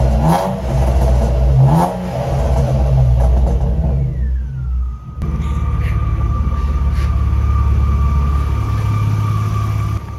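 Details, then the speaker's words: BMW E36 warmed up: clear high whine drops in pitch as revs fall, then holds a steady tone at idle; whine present for 2 years, source unknown, owner unsure whether it will cause a breakdown. "And I mean, this whining noise, the car has been making this noise for 2 years and it did work."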